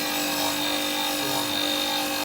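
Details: Circular blade sharpening machine with water spray on, the big-edge grinding wheel spun up and slowly moved forward onto the blade edge: steady, even hissing grind with a constant mid-pitched hum, cutting properly.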